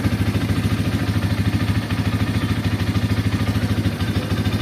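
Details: Bajaj Pulsar N150 single at idle after Bajaj workshop tape fix: steady beat with faint light ticking on top; leftover tappet noise reduced but not gone, rpm still fluctuating.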